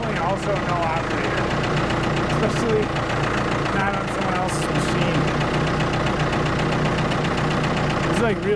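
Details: Ford 655A backhoe diesel running steady, even clatter without heavy knocks, short hydraulic whines as sticky controls are worked; engine sounds good, blow-by very minimal, normal running.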